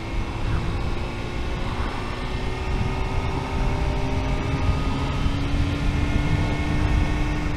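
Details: 1998 Honda CBR600F with new exhaust: steady high-pitched whine above the engine rumble, constant and present for as long as the owner remembers; bearings seem OK, no other known problems; source unknown.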